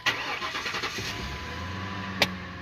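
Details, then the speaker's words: Lincoln V8 that was running rough with a cylinder 7 misfire code, started after the repair: catches quickly and settles into a smooth, even idle without its usual shake or stumble. "that is actually smooth usually when I start this car up it like jiggers a little bit"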